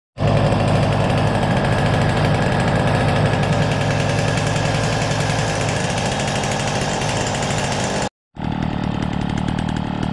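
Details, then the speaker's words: Motobécane 88 moped first run after rebuild, 72cc Airsal cylinder, 16 SHA carb with stock 68 jet, untuned, plenty of premix smoking, electronic ignition, TNT crank: fast steady two-stroke buzz with sharp puffing crackle each firing pulse; exhaust leak. "Le bruit ça va, à part évidemment cette fuite au pot, donc déjà c'est peut-être le premier souci."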